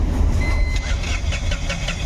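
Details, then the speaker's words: Tata Ace Gold BS-6 diesel cranks but won't start: starter churns steadily, never catches; scan shows crank sensor no-signal fault (P0335-31); no start. "यहां पे वापस cell मार रहा हूं मैं गाड़ी चाल नहीं हो रही अभी वापस से रीड करेंगे फड कोड यहां पर देखेंगे तो क्रैंक सेंसर नो सिग्नल का फल्ट कोड आ गया"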